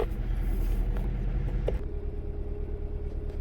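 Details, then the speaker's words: Kia Rio with a flashing check engine light and lack of power; a reported coil job elsewhere did not fix it: a deep, uneven, lumpy idle that shakes from a severe misfire, and piston ring problems are suspected. "hear it oh it's Shake it's misfiring big time"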